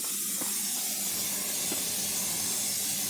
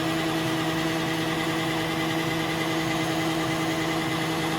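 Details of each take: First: 1987 Kenworth T600 with 3406B diesel, sat in a field 20+ years, first start: loud steady hiss of compressed air escaping, not building air pressure; owner feels air blowing and suspects a tank rusted in two. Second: 1987 Kenworth T600 with Caterpillar 3406B diesel, sat over 20 years in a field, fuel gravity-fed for priming: even, steady cranking drone with constant whirring and no catches or clunks; healthy cranking, oil pressure shown.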